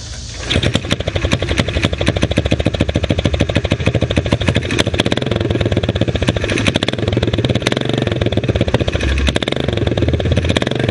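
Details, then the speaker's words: Springer-style single-cylinder bike after fixing an exhaust leak blowing on the leg: sharp, rapid popping at idle with a loping, stumbling beat; uneven idle, owner suspects the carburetor needs more adjustment. "so i gotta mess with that carburetor some more it's not wanting to idle just right that's a lot better"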